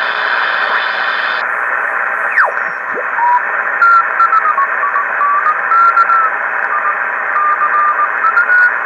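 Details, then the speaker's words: Kenwood TS-950S HF transceiver after repair of a deaf receiver, on 20 m with a wire antenna: steady band hiss with faint warbling sideband signals drifting through; normal receiver operation. "Well, I think it's working. I'll hook it up to the signal generator and see what our sensitivity is here."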